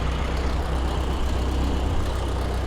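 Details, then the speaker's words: Stock 1929 Ford Model A coupe, 40 hp engine, in neutral with a little timing advance: fires right up and holds an even, deep idle with no misses or knocks, loud fan wind in background. "Whoa. Fires right up. Wow. That fan makes a lot of wind, too. It's even idling."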